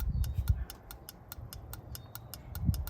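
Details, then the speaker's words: Vermeer BC1500 clutch safety switch, new replacement pressed by hand; sharp evenly spaced clicks about four to five a second over faint low rumble, clicking normally, whereas the old mistreated switch made no click, broken internally. "All right, so that's how the new switch is supposed to sound."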